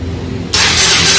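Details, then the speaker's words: Motorcycle remote-started through an Android Wi-Fi alarm module: a harsh starter whir spins the engine but it never fires, because the fuel tank is not yet installed. "Nah dia akan langsung starter, karena ini posisinya tangkinya belum dipasang, jadi motornya belum hidup."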